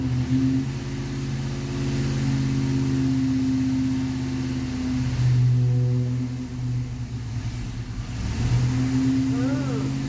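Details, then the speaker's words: Stock Ford 460 V8 on a dyno with a 750 carburetor, judged too small for the engine. It revs under load, but the pull wavers and sags instead of building cleanly, and it won't take load. Running lean from the undersized carburetor; an exhaust leak is also noted. "to do with the carburetor size, and having a 460 with a 750 is just 750 too small."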